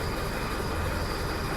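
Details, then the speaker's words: 20-year-old Mercedes Vario campervan with a diesel engine, parked all winter with flat batteries and started with a battery booster: a steady, even low diesel rumble settling into a smooth idle right after starting, with no knocks or misses. "There you go. She starts. What a relief."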